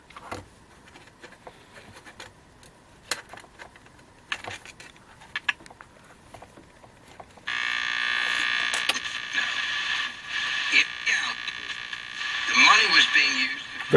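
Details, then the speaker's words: Sony TR-650 pocket transistor radio under repair: after handling clicks, the sound comes on harsh, buzzy and crackly, distortion caused by a damaged speaker cone rather than the set itself. "It sounds very distorted and I have a feeling the distortion is because that speaker has damage."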